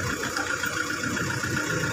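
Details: Car engine idling after key-off, kept running by a turbo timer set to three minutes, air conditioning off: quiet, smooth idle hum with a faint steady whir and no knocks or misses; normal idle.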